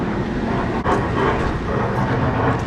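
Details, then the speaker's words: Loud, rough, steady roar from a rooftop restaurant exhaust hood fan. It is suspected to lack bearing lubrication, so it will be shut off, the belt removed and lubricated. Dry fan bearing noise. "but I bet you that thing is not it doesn't have that lubrication so I'm going to see if I have some that lubrication"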